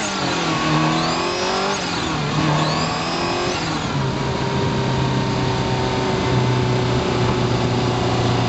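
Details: Subaru Impreza GC8 nearing 150,000 km; thin high whine rises and falls as boost builds over engine note; turbo noise, owner feels turbo is due for replacement.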